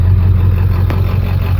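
Deep, heavy diesel rumble at idle with an uneven, lumpy beat throughout; the engine is idling rough.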